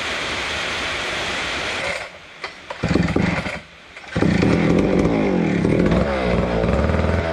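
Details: Neglected old McCulloch Super 250 two-stroke chainsaw, fuel poured into the carb throat, catches and runs clean and steady, revving smoothly with no misfire or bogging.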